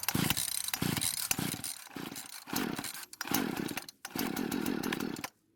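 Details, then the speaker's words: Husqvarna chainsaw, won't start, fuel poured into carb throat: fires and revs in short bursts then stalls; fuel starvation from broken fuel lines and purge bulb, metering diaphragm suspected hardened. "that it does start and run with fuel put into the carb it was just a matter of taking the saw apart to get to the car but which I have to say on this particular saw is not easy as some of the other brands or models now normally the metering diaphragm is the main problem with the carb"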